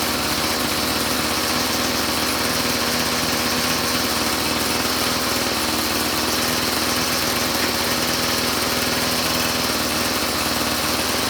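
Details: Two-stroke string trimmer (weed eater) idling steadily, a high even buzz without hunting, after the single idle mixture screw was adjusted in from suspected too-rich; the carburetor has no high-speed adjustment. Idle dialed in; spark plug still needs replacing.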